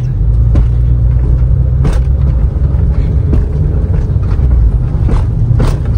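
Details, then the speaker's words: Honda Civic on a budget lowering build (coil sleeves or lowering springs) with new bushings, driving over potholes; constant low road rumble with hard, sharp thuds; the old shock/bushing noise is gone but the suspension now bounces and rides harshly. "Grabe! Ganto yung pagkaalog niya, guys. Kaya hindi talaga namin kayang i-sacrifice ang comfort."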